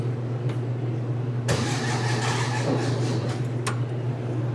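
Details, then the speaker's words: 1961 VW Beetle, cold, choke open, battery at about 46%, gas of uncertain quality: steady rhythmic cranking with even compression and a brief catch midway. It nearly fires. "Oh, she sounds like she'll go. It's cold, the choke's open, so."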